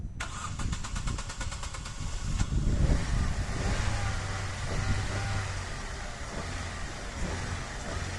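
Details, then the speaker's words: Opel Astra G, 159,000 km, previously would not start; engine ECU fault bypassed by grounding pin 85 of the fuel pump relay; even cranking, catches at once and settles into smooth, steady idle; starting normally. "de esta manera tendríamos el coche en marcha y nos evitamos gastar unos 500 600 euros que cuesta reparar este tipo de centralita"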